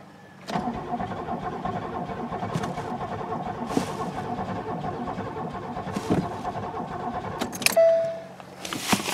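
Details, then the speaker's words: Buick LeSabre that sat about a decade, cranked on battery plus jump pack with starting fluid: a laboured, dragging crank that never catches. Battery voltage sags under load and is too low to spin the engine fast enough to fire. "yeah that voltage is dropping pretty good"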